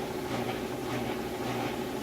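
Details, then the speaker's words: Maytag top-load washer in high-speed spin with the drain pump running: a quiet, steady hum with no shaking, banging or out-of-balance thumping. It is spinning normally. "So here we are with the washer, and what it's doing right now is spinning all the water out of the clothes while running the drain at the same time, so that's what that noise is."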